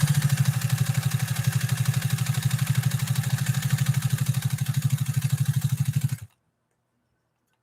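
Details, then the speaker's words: Pfaff 130-6 heavy-duty sewing machine with double cleated belts, restored after arriving broken, stitching: steady quick needle chatter about three stitches a second, even with no squeak or knock; running healthy. "And listen to this 130-6 run. It's a monster of a machine. And it's got those double cleated belts. It's got heavy duty everything."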